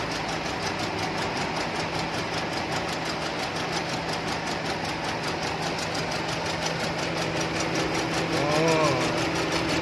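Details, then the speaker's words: Chevrolet Cruze 1.8 with engine shake and check-engine light: uneven, lumpy idle stumbling about every third of a second; a cylinder misfires because rats chewed the injector wiring harness. "คือไปนะครับสายไฟชุดหัวฉีดโดนหนูกัด"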